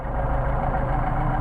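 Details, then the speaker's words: Mercedes 190SL with machined Solex carburetors, tested at 29°F: idle mixture screw adjusted past its best point, so the low idle wavers, drops off and starts to stumble. "Starting to back off. I mean, starting to idle drop off a little bit, so starting to stumble."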